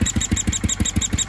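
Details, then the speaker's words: 1976 Sears ST12 tractor single cylinder, after a new PCV breather and hose and a plug change. A sharp high squeak rides on each firing stroke at about six beats per second. New noise; the owner suspects the PCV side or the head gasket. "but here we go you can hear that squeaking it's weird [Music] i'm not sure what it is to be honest"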